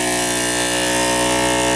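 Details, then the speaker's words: Water pump in an off-grid laundry in central Maine, feeding a washing machine, after the cycle is shut off. It does its usual funky blowdown: a steady, slightly warbling tonal hum with a faint buzz. Normal, nothing wrong. "If I was to push this water off, the cycle, to shut it off, pump shuts down, stops, and it'll do its funny blowdown thing after a while. Makes kind of a funky sounding"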